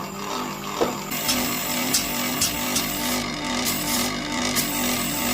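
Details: Haier air-conditioner compressor, previously seized and not starting, freed using two start capacitors in parallel: steady hum with a soft knock about twice a second, runs rough; lack of refrigeration oil suspected, not confirmed. Finding: rough running compressor after seizure.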